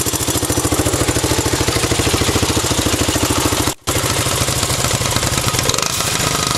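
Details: 1984 Honda Z50R mini bike at idle. Small single-cylinder popping at a quick, even idle with no misses or knocks: healthy and settled.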